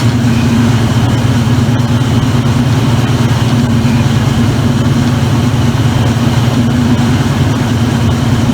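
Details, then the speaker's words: Circa-2003 Maytag Oversized Capacity Plus washer spinning at about 600 rpm: loud steady low rumble, even hum, no knocks or grinding, mild shaking; normal spin. "it does spin pretty fun it has no problem spinning the clothes dry and everything"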